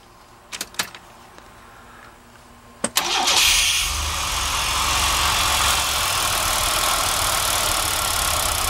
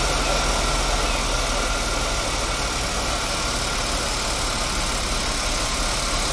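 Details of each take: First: GMC Safari van engine idles evenly after a few starter clicks, after a fuel injection flush service and the fuel pump being plugged back in; it already runs noticeably smoother. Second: Safari van during a fuel injection flush, with the fuel pump disconnected and injector cleaner fed at about 30 psi; idles steadily but with a ragged, uneven beat under a hissy top, running differently than on gas; rough running on injector cleaner.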